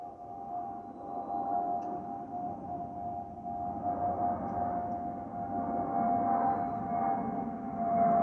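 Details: Spirit Airlines Airbus A320-232 N628NK cabin: steady high whistle near 700 Hz over low cabin roar, the normal fuel overpressure port (FOPP) whistle.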